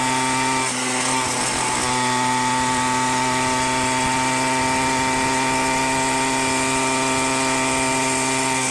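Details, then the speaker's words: Minarelli two-stroke on a motorized bicycle with a 110 main jet, rehoned and not yet broken in: even, high-revving buzz that runs steady but sounds slightly soft and fat at the very top; carburetion slightly rich. "Actually sounds a little fat on the very top still."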